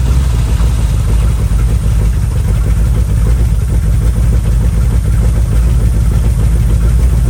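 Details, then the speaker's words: Old Ford F100 V8 after correcting firing order (distributor rotor thought to spin counterclockwise, had been set clockwise), still on RV battery: deep loud rumble at steady idle, no misfire or knock; running properly. "So let's see if it fires up now. That's progress."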